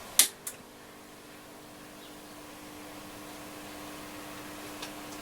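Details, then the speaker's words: Yaesu FRG-7700 HF receiver after switch cleaning failed, powered up during power supply board checks: switch clicks then steady hiss with faint hum; fault still present, voltages amiss on the board. "you can hear it hissing away"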